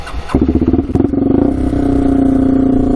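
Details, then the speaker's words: Rough full-time 4x4 ATV that sat for years, start around 80 degrees, fuel on reserve: catches after a few coughs, then a fast, harsh single-cylinder patter while warming up; exhaust much louder than normal. "The exhaust is really loud though. Let her warm up for a little bit."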